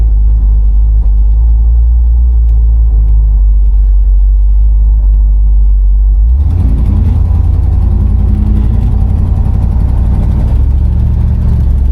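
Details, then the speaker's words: Customized, slammed-low 1964 Buick Electra 225 with a 350 V8 on a test drive. Deep, even V8 rumble firming up as it pulls away, no knocks or misses; engine sounds strong and normal while cruising. "As you can hear, that 350 definitely sounds strong."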